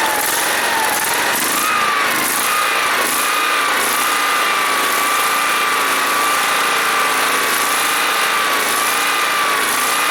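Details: John Deere SST-15 Spin Steer riding mower, jump-started after its fuel was emptied and its carburetor cleaned and adjusted; steady high-pitched buzz settling at even speed after a slight rise, no stumbling or misfire, so it runs nicely.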